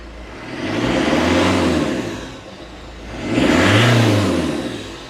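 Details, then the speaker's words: 2002 Citroen Berlingo 2.0 HDi diesel at idle after the EGR actuator valve was left with no vacuum while chasing poor running: it revs up twice and settles back smoothly with no stumble or uneven beat, not misfiring at all. "that's not misfiring at all"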